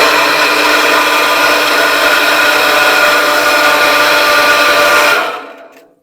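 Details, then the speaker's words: Surface water pump station that hummed without starting, started by pushing the fan clockwise with a screwdriver: motor whirs steadily with fan rush, then switched off and winds down; failed start capacitor. "все вот таким образом мы запустили насос толкнул отверткой по часовой стрелке"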